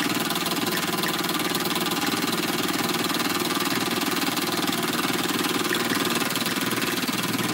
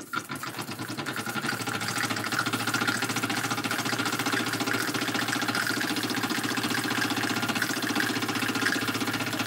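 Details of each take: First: Small model steam engine, warmed up: steady even chuffing at a brisk regular beat with hissy top end, no knocks or misses; runs nicely, normal. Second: Small model steam engine running with hot boiler: quick chuffing about four beats a second with wet, sputtering dribble; water carry-over (priming) because boiler is too full, less dribble when not quite as full.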